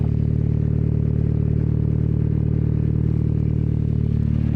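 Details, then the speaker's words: Turbo Miata drift car idling after exhaust work, still pretty loud; deep, loud exhaust idle with a steady even beat of about three and a half pulses a second, no misses or knocks, sounds pretty healthy — normal idle. "Still pretty loud. Okay. Nice little idle. She sounds pretty healthy. Put the mic on it."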